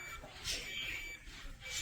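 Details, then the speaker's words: First Alert combination smoke and carbon monoxide alarm, battery operated, made 2018, about 4 years in use, battery recently changed: detects smoke with light on, but only a faint high chirp under room noise, inaudible from 5 feet; weak alarm sounder. "Okay, it detected, but you see the sound. Even I cannot listen carefully. I have to listen it carefully, and there is no sound coming out of this device."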